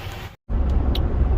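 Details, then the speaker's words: 2018 Ford Expedition Max on a 38-mile test drive after cam phasers were replaced for a startup rattle and a rattling exhaust clamp was repaired: steady low road and engine rumble, no rattles, chatter or overheating. "Well, she is driving really good. No issues, no nothing at all, no overheating. Everything is just great. No rattles, no chatter."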